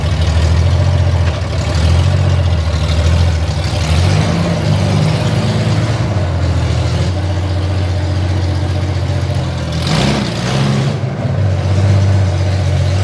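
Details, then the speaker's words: Honda Goldwing six-cylinder on open headers without collector or silencers, run to cure fresh VHT exhaust paint: deep loud uneven droning beat with rattly edge and brief crackle, cracking back; loud rattly open-header exhaust. "That sixcylinder sound is great. You can hear it in there, but it's got a rattly beat to it and it's cracking back."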